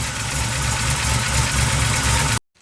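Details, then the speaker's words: 350SS truck V8 on a fresh battery idles with an uneven, loping, lumpy beat and deep exhaust thump; classic case of a bigger cam without enough compression. "the classic case bigger cam not enough compression"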